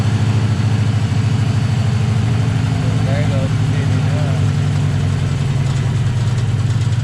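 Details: 2008 Ford Mustang GT V8 heard from the front after new plugs and injectors; lumpy, uneven idle stumbling steadily, passenger-side misfire that began while reversing. Later traced to a vacuum leak from a cracked cold air intake at the PCV tube.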